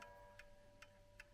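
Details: Plastic/resin chiming clock bought at a car boot sale: crisp, evenly spaced ticks about two and a half per second with a low hum behind; beat is even, clock running normally.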